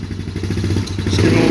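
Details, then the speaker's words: A 2008 Polaris Outlaw 90 single-cylinder putters evenly at idle without choke, then rises smoothly on a light throttle blip; no smoke, runs clean and steady. "bit of gas you can hear I mean there that's that's idle that's no choke it's just I mean it's always been a great starting great running machine"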